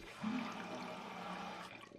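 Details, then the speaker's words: Toto toilet installed 8 to 10 years ago, tank at rest: a steady watery hiss from water seeping past a worn fill valve cap seal. "And it also sounds like it's hissing or seeping water when it sits idle."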